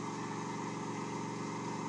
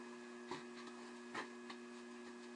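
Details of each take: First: Off-center (eccentric) wood workpiece on lathe, speed being increased: steady low rumble with fast throb under motor hum as it shakes the lathe; too fast, slow down until noise disappears. Workpiece imbalance vibration. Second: Lathe turning an off-centre black walnut blank about 4¼ by 2⅝ inches at 1,000 rpm: after a few taps it spins up to a steady, even hum with only a soft rumble. Normal running with the off-centre blank.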